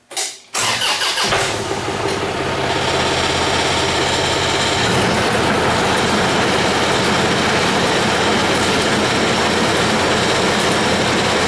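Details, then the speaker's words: Engine on old town train after repairs and new chain fitted: cranks and catches, then settles into a steady, even run getting a bit louder, no knocks or rattles; normal running. "bad yes I am far enough away from it don't worry he there you can hear it getting a bit louder"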